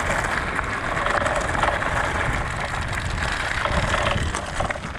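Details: Pletscher Esge bicycle kickstand while riding over rough pavement or gravel: continuous loose metallic chatter over rolling tyre noise, following every bump; metal-on-metal kickstand rattle.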